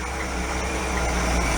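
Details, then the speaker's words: 1965 Ford Econoline pickup, first run on choke after replacing the rotted exhaust manifold: a low, smooth, even idle with a steady deep hum and no ticking or exhaust puffing; the exhaust is quiet and sealed, idling healthy. "man that sounds good quiet you think Lee I think the exhaust is good all the way up"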